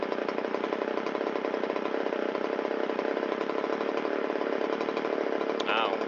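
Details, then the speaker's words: Shindaiwa 360 chainsaw, long-stored, Walbro WT-89 carburetor, after idle mixture screw turned in two quarter turns from slightly rich, air filter and cover off: even, steady two-stroke idle, no stumbling or surging, RPM comes up a little. Normal idle. "it likes that. We can hear the RPM come up a little bit."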